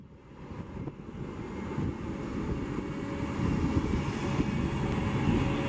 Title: SEPTA 2009 New Flyer DE41LF #8322 Making An Odd Whining Noise